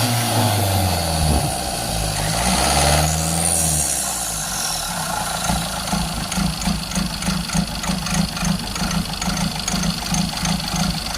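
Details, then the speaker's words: Tata Nexon diesel before injector repair: idle rises and falls, then settles into a rough uneven clatter with sharp knocks about three a second, with engine missing, hunting and knocking; repaired injectors cured it. "ये गाड़ी हमारे पास आई थी Tata Nexon. इसमें देखिए engine missing, hunting और knocking की दिक्कत है।"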